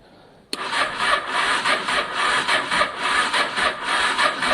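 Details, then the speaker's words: Honda Deauville 650 motorcycle after carb clean, choke on: sluggish, uneven cranking about one beat a second with no firing, starter struggling; no fuel pump priming heard, owner suspects fuel flow problem. "it's spinning quite slowly actually isn't it um it doesn't sound healthy at the moment actually it doesn't sound healthy at all"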